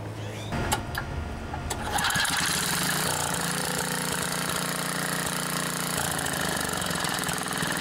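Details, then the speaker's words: Craftsman MTD edger with a 3.5 hp Tecumseh horizontal engine that sat for many years, Champion RJ19LM plug: a few cranking pulls, then a steady, even buzzing run; engine starts and runs. "we're just kind of testing things out here to see if this machine will even run it's been sitting for many many years"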